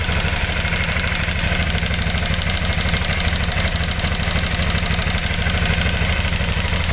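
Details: Aprilia Shiver 750, 2008, at idle: busy metallic rattle riding on every firing pulse from the top end; cause not yet pinned down.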